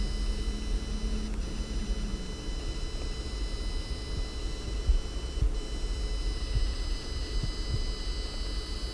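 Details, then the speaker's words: Gigabyte Aero 17 HDR XB (2020) laptop, i7-10875H and RTX 2070 Super Max-Q, at idle: thin, steady high-pitched coil whine over quiet room hum, also reported on identical units and possibly a known issue. "during idle scenarios in some cases this notebook started to exhibit really bad coil whine I mean listen"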